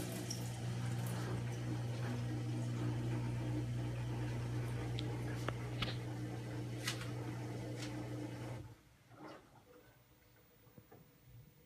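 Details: LG front-load washer after the water hammer fix that reduces inlet pressure: water rushes in evenly for about eight seconds, then cuts off cleanly with no pipe banging; normal fill.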